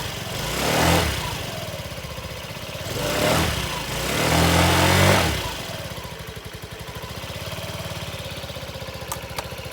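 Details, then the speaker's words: Honda Ruckus scooter after new fuel pump installed and idle lowered: revs up a few times then settles to even, steady idle, possibly still slightly high but running clean; normal idle. "And now it's got a new fuel pump. I was able to lower the idle. It's actually sounding a lot better."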